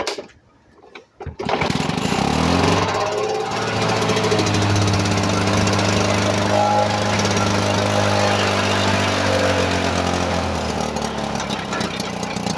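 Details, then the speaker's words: Old Lawn-Boy two-stroke mower running on freshly added fuel after priming in cold weather, steady buzzy note with a constant sizzling hiss; hissing while running, owner suspects water in the fuel. "I I have enough gas in it it does run though did you hear that something sizzling"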